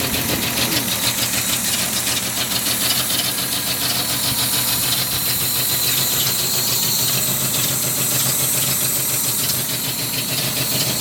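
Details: 1976 Datsun 280Z inline-six idling with uneven loping beat and hissy top end; rough idle, cause unknown.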